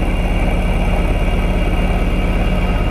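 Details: 1999 Lotus Esprit V8 idling with misfire, no spark on two cylinders; lumpy idle with regular stumble about three times a second; one ECU coil output terminal reads about 10 V versus 12.8 V, wiring ruled out, faulty ECU output, ECU repaired.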